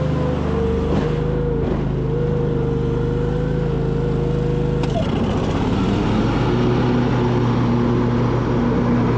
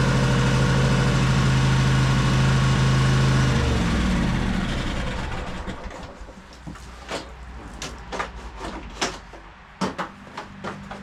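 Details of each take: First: High-hour Cub Cadet 2186 shaft-drive lawn tractor being restored, after new coils, a new air filter and a solved fuel problem: start needing a little choke; brief cranking, then the twin catches and settles into a steady, even idle with no misses; normal start and idle. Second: High-hour Cub Cadet 2186 shaft-drive lawn tractor with Kohler engine, after new coils and air filter: runs evenly a few seconds, then sags and dies. Fuel starvation despite gas in the tank, caused by a split fuel line.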